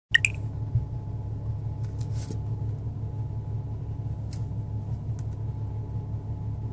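A low, uneven rumble at idle with a slightly irregular beat in a quiet room suggests a rough-running engine.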